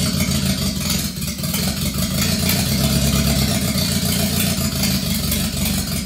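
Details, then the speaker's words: Subaru Sambar first start: engine runs rough with an irregular stumbling beat and uneven revs, smoking, better toward the end as it ran out of fuel; owner suspects the carburetor float isn't working and keeps feeding fuel. "all right that definitely ran better towards the end just because it ran out of fuel so I really don't want to take this carburetor apart but it sounds to me like the the float isn't working"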